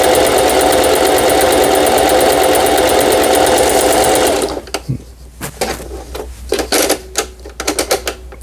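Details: Singer 4432 sewing machine after repair (was noisy from new, parts knocking, overlock stitching failing): stitch test, fast even chatter for about four seconds then stops, no catching; normal running.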